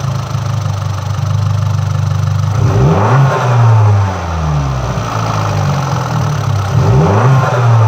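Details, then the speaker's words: MultiAir engine with electro-hydraulic variable intake valve lift; two throttle blips and back to idle, but the valvetrain clatter keeps the same rhythm, because the ECU triggered failsafe and locked the unit at full lift (limp mode). "now in this clip the multi-unit is again in failsafe mode if you notice it does not change its rhythm as it did before because it just locked to the full of setting the ECU has triggered this failsafe to protect the in Ginny case of a failure"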